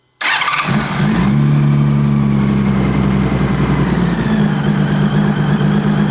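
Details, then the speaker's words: 2000 Honda GL1500C Valkyrie six-cylinder, not supercharged, pilot mixture screws turned out from 3.5 to 4.5 turns while running: idle catches and creeps higher as it's made richer, showing it was running lean. "You hear that? The richer we make it, the better it wants to run."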